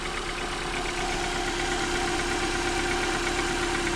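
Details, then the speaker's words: Mobile mechanic checks a car for a pending misfire code (owner reports sputtering on acceleration): smooth, even idle with steady hum, no hiss or whistle, so no vacuum leaks; codes to be cleared and a spark plug pulled. "yeah, and I don't hear any vacuum leaks, so we're gonna go ahead and clear those codes and pull a spark plug, and I don't anticipate this one comes back."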